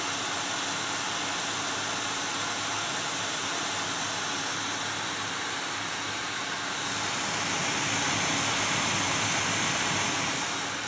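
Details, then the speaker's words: GTX 980 graphics card fan, meter inside near the case reading about 72 dB, roughly 30 dB quieter at the desk: loud steady airy rush with no ticking, rubbing or pitch wobble; fan healthy. "So it's about 72 decibels, but again, how many decibels is it up here at the desk? Pretty huge difference."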